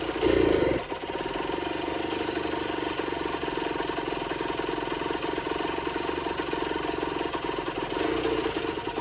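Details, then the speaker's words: Generic Trigger SM 50cc two-stroke on a temporary fuel tub with a stiff old throttle cable: thin buzzy note that wavers and stumbles, not running cleanly. Owner suspects an air leak, later found around the intake manifold, plus blocked jets. "It's not running 100%. Let's try it again. It's not running too great. I think she's got an air leak."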